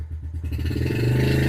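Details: 2013 Yamaha TTR50 with new training wheels, put in gear with rear wheel driving: quick, even exhaust pulses climbing in pitch as throttle opens and wheel pulls, no knocks or misses; runs normally, pulls a wheelie.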